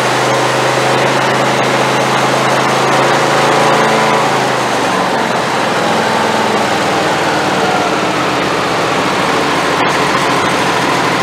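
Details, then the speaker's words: Neglected Craftsman YT4000 twin-cylinder riding mower, started with a booster on a dead battery. It runs fairly steady, then the low firing note drops away; it needs full choke on every restart. The owner suspects the idle jet in the carb. "Alright guys, so every time I would turn it off and crank it, I would have to give it full choke again. And after it busts off the first time, really you shouldn't even have to use the choke."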